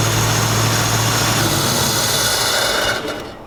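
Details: 1965 Mustang with carburetor and new 2.5-inch header-back true dual exhaust, cold start: V8 lopes unevenly at fast idle, then stumbles and dies; the rough idle was caused by misrouted PCV, later fixed.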